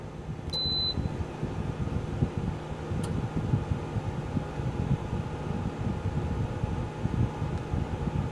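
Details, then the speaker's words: Geneva infrared quartz element heater switched off by remote after fully warming up: a quick beep, then one sharp click as the elements cut out while the fan keeps humming evenly for cooldown, a normal shut-off. "it is pretty cool how after um after you hit it you hear that extra click and that's the elements turning off"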